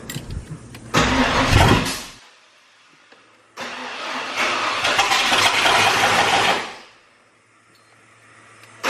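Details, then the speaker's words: Ford Bronco just fitted with FiTech EFI and new intake manifold: engine catches on cranking, runs a second or two then dies, twice; fires then immediately dies, owner suspects a common FiTech issue. "so it sounds like we have an issue because it's firing and then immediately dying which I've heard a lot about with this fight Tech stuff"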